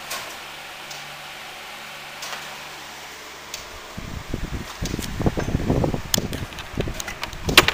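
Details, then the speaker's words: 12-inch Fusion table fan, rescued, oscillation broken; run on low, medium, high: low steady motor hum, soft even airflow rush, no rattles or ticking; very quiet, strong air, healthy. "start off with low oh that's a quiet fan good air mover too I'm already liking it medium hi wow for the amount of air it moves for how quiet it is this is a real score"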